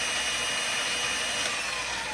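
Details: Razor E100 with its stock 24V hub motor, a 12V relay instead of the throttle controller, and a 20V Dewalt battery giving about 19.6V at the motor. A light, steady whine with a faint rising tone as the lifted wheel spins freely, no grinding; a healthy motor.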